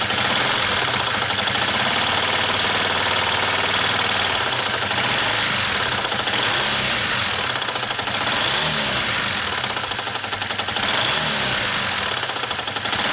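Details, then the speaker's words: Yamaha New Vixion motorcycle, engine running with the clutch opened, clutch replaced in August 2019: harsh rhythmic rumble and knock, about four beats a second; first thought to be a loose clutch, found to be a worn crankshaft bearing. "Dari hasil analisa ini, yang dikira bunyi oblak kopling dan ternyata bunyi bearing sokar yang oblak."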